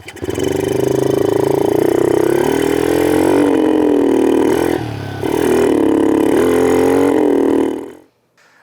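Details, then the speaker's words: 2006 Kawasaki KLX110 pit bike conversion, small single revving up and down unevenly, wavering and dipping instead of holding steady; poor running, carburetor jetting suspected and to be retuned, cause not confirmed. "Alright, that doesn't sound very healthy to me either. So give me a minute to get that carburetor pulled and we're going to get that jetting dialed in."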